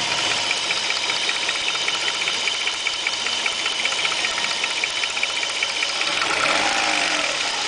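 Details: Opel Omega 2.5 V6 petrol at idle: light, crisp tick, about two to three per second, over a steady idle, barely audible with the oil filler cap on; mild crankcase smoke, no oil or water use; cause unknown.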